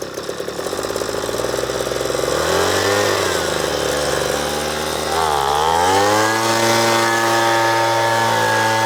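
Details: Two-stroke leaf blower, previously rattling and vibrating, with a badly burnt spark plug found: clean buzz rising and falling smoothly with the throttle, no rattle or shaking; runs normally.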